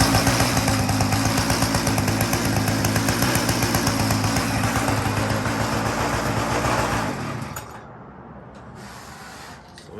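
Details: Mini chopper with a newly installed replacement engine, first start after rewiring: the small single revs evenly at a steady four beats per second, with no misses or rattles, then shuts off cleanly. Running fine.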